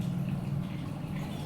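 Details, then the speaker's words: Kia electric fuel pump actuated through the Kia GDS VCI scanner actuator test with ignition on and engine off: low, steady hum holding constant through the test; pump energised and running normally. "itu bunyi ah jadi pompanya kerja kita tekan tombol stop"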